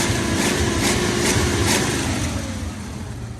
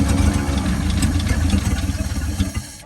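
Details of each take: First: 1948–49 Ford F-5 flathead V8 truck, sat about 50 years with its clutch rusted to the flywheel: after a brief rough flare it settles into a steady, low, even idle, running normally. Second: 1949 Ford F-5 flathead V8 truck, sat about 50 years, first start after diesel in the oil pan: lumpy, uneven chug about three beats a second, then fades out; seems low on compression, needs more throttle.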